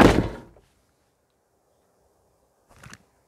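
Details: Motorhome passenger door with Mobil-Safe door safe, after fitting extra buffers: a single solid thunk as the door shuts, then quiet, no rattle or buzzing. Closes cleanly.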